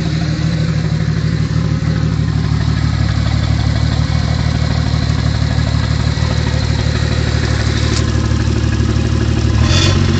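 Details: Toyota Supra Mk3 at almost 100k: a steady low knock through the idle that quickens as the engine revs. Rod knock.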